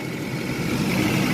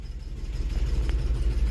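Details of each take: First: Classic auction car with a small four-barrel carburetor, a marking reads 3813 while dash suggests 303; smooth, even idle with a steady low hum, no knocks or misses, running good. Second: Old EFI car at auction, first cold start of the day, possible exhaust leak: deep, slightly uneven idle throb with a faint wobble in rhythm, a cold engine running a bit rough before warming up.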